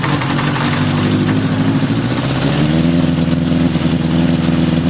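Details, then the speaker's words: 1981 Honda CB750 K1 on a test ride: a loud, slightly uneven four-cylinder drone with a rough beat under throttle; it runs poorly. Suspected vacuum leaks at the carb boots and throttle shafts, and the accelerator pump was found leaking fuel. "right now I'm sitting on an 81 cb750 k1 and it doesn't run so good so we're gonna take it for a test ride"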